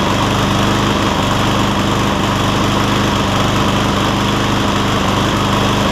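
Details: Cub Cadet SR621 push mower with a Kawasaki engine: a steady single-cylinder putter with no misses or surging. The owner notes it takes 30 seconds to a minute to find the right fuel-air mix, then runs clean and great.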